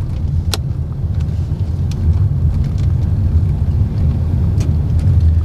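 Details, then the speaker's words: 2022 Honda BR-V after full cabin and front underbody sound deadening, on very rough asphalt at 30 then 50 km/h: steady, low, muted tyre rumble with no whine or thumping; tyre noise much reduced. "Di speed 30, gerungan bannya minim banget. Sekarang kita tarik ke speed 50. Suara ban sudah benar-benar jauh berkurang."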